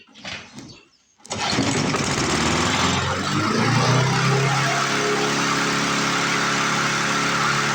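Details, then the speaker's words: 1997 Lawn Chief push mower pulled from scrap, first start on the primer without carb cleaner: the engine catches and climbs to a high, buzzy, racing speed that never settles to idle; it is running more rpm than wanted, cause not confirmed. "Sounds like she's running a little bit high."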